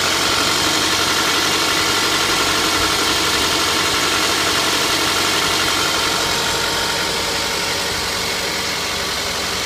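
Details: Toyota 2AZ-FE engine, 120,000 km, cold idle: a steady, even tapping at about four knocks a second rides over the idle and disappears once warm; cold-start knock, source not pinned down.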